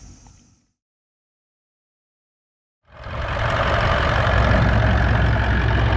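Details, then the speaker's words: Toyota 79 Series Landcruiser 1VD diesel V8, towing a caravan in 40°C+ heat, noticed ~400 km before Alice Springs: steady idle with a low harmonic droning rumble, sounds like a bearing; confirmed worn water pump bearing, pulley had slight movement. "is that all about a bit of a harmonic noise there sounds like a bearing almost"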